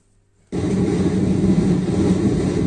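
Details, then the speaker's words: Zebronics home theatre tower: a coarse, steady low buzz starts at power-up and holds level. The speaker was checked and is fine; the fault is on the amplifier board, with resistors that may have drifted in value suspected. "तो यानी कि हमारे दोस्तों board में दिक्कत है"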